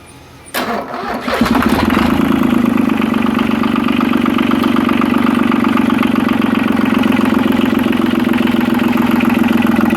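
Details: Yanmar 3QM30 three-cylinder marine diesel, cranked on double jumper cables, decompression lever in run; catches after brief crank and settles to even steady clatter at idle; oil pressure reached 75–80 psi, sounds good.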